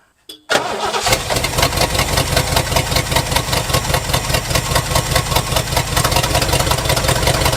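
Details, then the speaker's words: 1971 Lincoln Continental Mark III V8 with poor-looking spark plugs: lumpy, stumbling idle with missing beats just after the start; plug-wire test shows two weak, misfiring cylinders. "okay so looks like these two right here are our weak unhappy cylinders"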